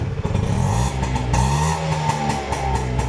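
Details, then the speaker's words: Bajaj two-stroke engine on a trial run after rebuild (rebore, facing): crisp buzz rising and settling smoothly with throttle, no rattles or misfires; normal running, engine described as brand new. "ನೋಡಿ ಹೆಂಗಿದೆ. Engine ಮಾತ್ರ brand new ಇದೆ."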